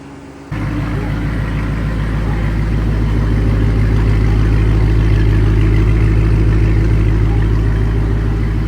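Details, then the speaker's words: Flood-damaged SRT8 V8 being revived, with new temporary fuse box, cleaned grounds and terminals: first start catches and settles into a steady, even idle with no knocks or misses; engine sounds good, normal idle. "Engine sounds good."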